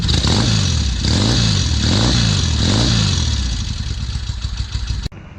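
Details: 1968 Norton Commando twin, restored, after fitting hotter NY7C plugs (previous NGKs about four grades too cold), started with carbs tickled: fires up and blips cleanly, revs rising and falling smoothly, then settles; running healthy, plug slightly grey.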